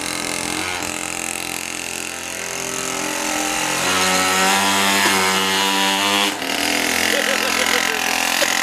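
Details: Pocket cross minibike restarted after cleaning blocked passages and fitting a new carburetor: small two-stroke buzzes high and steady, rising and falling with throttle blips, no stumble; running normally.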